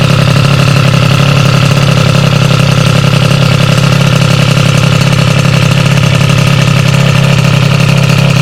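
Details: Sym DD50 scooter with Polini Corsa Mini two-stroke engine build, after a basic check-over and jetting correction: crisp, even two-stroke buzz holding steady with no misses or stumbles; normal idle.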